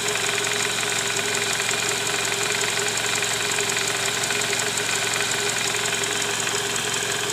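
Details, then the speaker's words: Toyota Camry 2JZ engine at 148,000 km, heard at idle from below at the sump: harsh, rapid, steady knocking clatter; worn, scored balancer shaft and bearings, likely from improper installation with under-torqued balancer bolts. "disini terdengar bunyi keras terutama di bagian Karter oli mesin EDC Bank"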